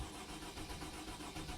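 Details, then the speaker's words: 2008 Freightliner Sprinter with the 3.0-litre engine, codes cleared: the starter cranks at an even rhythm but it never starts; code P0335, crankshaft position sensor no signal, returns. "i'm cranking the engine so the engine cranks but it doesn't start"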